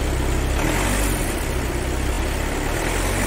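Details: Volkswagen Taigun idling after battery replacement fixed long cranking and no-start from a bad-cell battery, warning lights cleared; low even hum with steady unbroken beat, no knocks or misfires, healthy idle.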